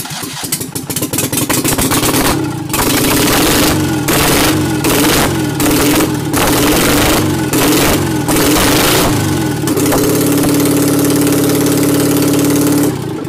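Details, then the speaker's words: Citroën 2CV flat twin with newly fitted engine, running without exhaust fitted yet, loud open-pipe rattle blipping a few times then settling to a steady even idle; compression was over 100. Normal idle. "I said I was gonna put ear defenders on before doing that I didn't and maybe living to regret that that's almost as loud as machine head in 1999 out of all the huntin Civic but running beautifully idling spectacularly well"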